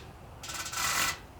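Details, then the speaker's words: 1964 Ford 4000 diesel tractor (hard to start), injector nozzle on a hand pressure tester: short hissy spray burst with no crisp snap, popping weakly at about 25, below rated pressure; weak injector pop. "Okay, that one's kind of popping, but not very strong. And it's wanting to pop at about 25-ish."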